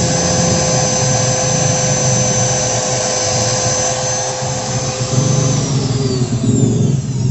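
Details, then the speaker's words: Electric wood planer after adding four shim layers: smooth steady high-pitched whine, no growl, spins freely, body stays cool. "oke mantap suaranya Udah halus nggak ngigau kayak tadi lagi dan putarannya juga udah enteng banget"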